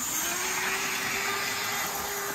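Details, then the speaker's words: Model steam locomotive, very low geared, running flat out at full speed: steady high motor whine with a tone near 400 Hz over loud hiss, yet it runs slowly. Motor suspected; a new motor is recommended. "very low geared that's full speed you can hear the motor whining away but it's not run very fast"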